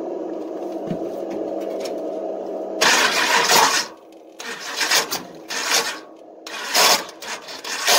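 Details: Long-stored engine on race fuel: harsh metallic grinding bursts each crank, no start; starter gear chewing stripped flex plate teeth.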